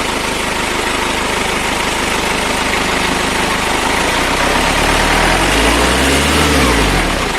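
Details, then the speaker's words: Toyota FD-25 forklift engine at 500-hour service, acceleration check: steady idle, revs climb cleanly on each throttle press and fall back smoothly without hanging or stumbling; throttle response normal. "Nampak RPM berjalan dengan normal, yaitu saat kita injak gas dia naik dan saat kita lepas spontan dia turun."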